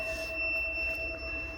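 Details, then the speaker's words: 12V 2500W/5000W power inverter after an hour at about 170A DC: high steady electronic beep of its 10V low-voltage limit alarm, battery reading about 10.7V. "coś piszczy, coś piszczy, ale trafiliśmy fajnie. Piszczy ograniczenie 10 V."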